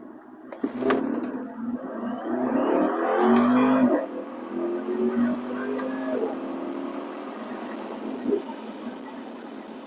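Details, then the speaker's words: BMW F06 650i Gran Coupe, N63TU 4.4 L twin-turbo V8, after replacing cracked wastegate vacuum lines that caused limp mode, launch acceleration: strong pull, pitch climbing smoothly then easing off, no stumble or hesitation; running healthy. "It's definitely pretty peppy for a big heavy car like this. 6 Series Gran Coupe, V8 twin turbo. It's a good amount of power."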